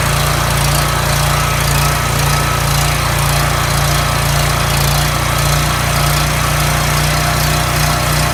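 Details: Coleman generator after governor replacement (part 277-42201-33), rated 3600 rpm: a loud, even engine drone holding steady speed with no hunting or surging; tachometer reads about 3590 rpm, up to roughly 3615 rpm on the high side, right in range.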